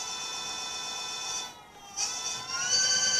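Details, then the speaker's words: Emmo GT80 e-bike on its original 500W 60-degree controller: at full throttle the high electric whine holds at top speed, dips briefly, then jumps to a higher pitch, a turbo-like power band the owner finds bizarre. Cause unclear. "now listen to this when you give a full gas it goes the top speed and then it goes to a higher speed watch"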